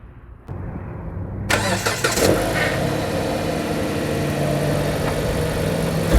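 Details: 2014 Jeep Patriot 2.4 after throttle body replacement for limp mode (lightning bolt light, U0401 code): cranks briefly, fires, revs and settles to a steady, even idle with throttle restored; normal start and idle.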